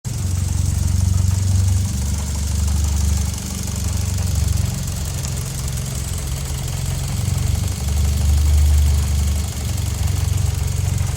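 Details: 2009 Mitsubishi Lancer Ralliart with SST dual-clutch transmission, 72k, noise present since new: low steady idle with a light, uneven rattle on top. Engine belt and SST transmission noise, considered normal.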